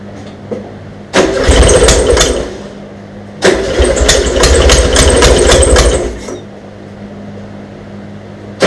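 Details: VW Beetle flat-four after fitting dual carburetors and new alternator: engine catches after cranking and fires in harsh, very loud barking bursts like a Harley because exhaust ports were left open; ports need plugging.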